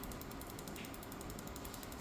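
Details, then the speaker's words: Asus FX516P laptop, steady rough rattling, grinding whir from worn fans, GPU-side fan loudest, running hot around 60–70°C; both CPU and GPU fans replaced as a pair plus new thermal paste and putty. "นี่ดังชัดเจนเลยนะครับรุ่นนี้ต้องเปลี่ยนยกคู่นะครับ"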